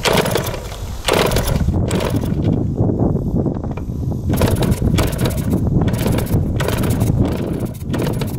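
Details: 1971 Yamaha JT1 mini enduro two-stroke, stored about 30 years, with spark, fuel and 133 psi compression confirmed: ragged, uneven, choked bursts between kicks that catch and die, because the exhaust was clogged with mouse droppings or poison.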